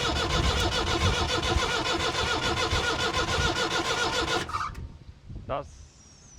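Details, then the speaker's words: 1962 Lansing diesel forklift not starting: even cranking three to four beats a second with a thin squeal, never catching; fuel suspected, air found in the system when injectors were cracked. "You hear that squeal? >> Yeah. >> Uh Uh >> I think if you ignore the squeal, it could just be fuel."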